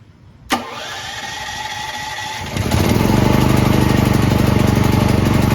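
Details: Brand-new Firman T07573 tri-fuel portable generator, first start on gasoline with choke on start: a click, then the electric starter churns steadily at about four pulses a second but never fires. Owner suspects too little gasoline in the tank or fuel not yet reaching the lines.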